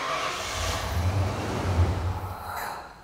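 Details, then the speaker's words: 37-year-old Ford Bronco with new replacement TFI-IV ignition module, timing set, PIP and SPOUT on scope: engine catches and runs rough about two seconds then shuts off immediately. "shut off immediately so I'm going to stop the scope we'll take a look at the waveforms here see if I can see what happened"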